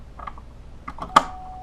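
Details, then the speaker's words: Marshall Lead 12 guitar amp after loose solder joints were resoldered. A few handling clicks, then a clean, steady test tone with no crackle or dropout; the output is now stable. "just make sure that this is working good now okay no more instability from this"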